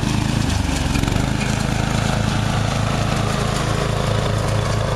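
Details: Murray riding mower, first use this year after long shed storage and a mice nest cleaned out, surges and nearly quits after cutting half to 3/4 of the lawn; owner unsure, maybe overheating, and may be simulating it with the choke.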